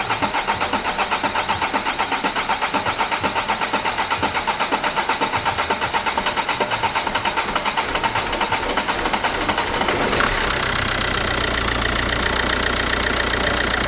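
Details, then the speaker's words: Audi PD diesel first start after replacing flywheel, clutch kit and main seal; about ten seconds of cranking with a brief cough blamed on tandem pump work, then a steady rattly diesel idle with no clunks or flywheel rattle — normal idle. "But you should hear a nice rattly diesel engine rather than a nice rattly flywheel. Hopefully."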